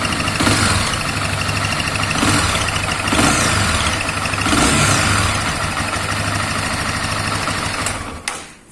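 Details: 2021 Honda Twister single-cylinder at idle: loose, uneven ticking rattle around 220 a minute with a rasping top end; abnormal engine noise, cause unknown.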